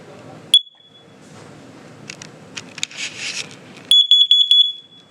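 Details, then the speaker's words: Carbon monoxide alarm demonstrated at a fire station: a sharp high-pitched chirp, then a quick burst of four beeps, warning of CO gas. "Carbon monoxide alarms smell for a gas that you can't smell, taste, or see. They let you know if something is wrong with your stove, oven, furnace, or water heater."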